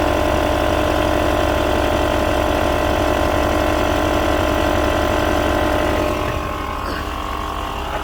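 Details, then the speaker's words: Audi Q7 idling just after replacing the air suspension compressor and valve block: steady electric compressor hum, even and unbroken while the front lifts slowly after the rear; compressor running normally. "I can hear the compressor going. Yeah, front's going up nice and slowly."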